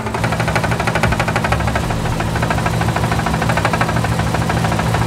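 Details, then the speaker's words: 1986 Nissan 300ZX (Z31) VG engine at steady idle: light irregular tapping that sounds like knocking but is the blow-off valve hitting the shock tower because the VG is too big, not engine knock. "I know it sounds like it's knocking but it's actually just the uh blow-off valve hitting the shock Tower because VG's man they're just too big"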